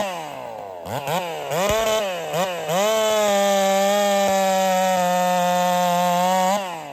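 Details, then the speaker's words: Holtzfforma 372 chainsaw with a big-bore kit, heavy porting and advanced ignition timing: revs blip up unevenly and spit, then hold flat short of top end. It pops and won't rev out; owner suspects the timing is too far advanced. "all right so I wasn't happy there uh she had this little popping thing going on she doesn't want to rev out really well so I'm suspicious that the timing was actually too far Advanced"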